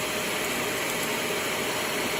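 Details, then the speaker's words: Trash-find Shark Navigator vacuum after clearing a clog and removing debris, switched on: steady hissing airflow with constant motor whine, no choking or surging; suction pulling freely, clog believed to be the only fault. "still pulling stuff down fine now so i guarantee that's all that was wrong with it"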